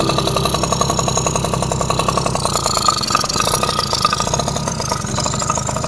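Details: Yamaha F1ZR two-stroke after a rebuild (new conrod, crank bearings, crankcase) and carburetor install, right after first start: crisp, evenly paced popping settles into a steady idle, no knocks or misses; runs fine.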